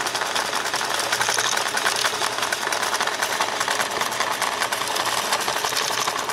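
Busy, uneven clatter with a loose rattle running all the way through; this machine is running rough and far from smooth.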